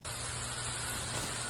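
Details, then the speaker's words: Steady crackling hiss over a low electrical buzz from high-voltage insulators: corona effect, a sign to act, such as washing the insulators. "That buzzing sound is the corona effect. When you hear it or you see it in electrical equipment, especially in substation, you should not ignore it."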